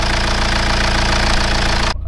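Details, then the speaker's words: BMW E87 with N47D20 177 hp diesel after reassembly (failed crankshaft pulley, suspected timing chain wear): steady, even idle, smooth low rumble, no tapping or rattle, clean shutoff; noise gone though internal issue remains. "as you saw guys after assembling everything uh it looks like that the sound is gone"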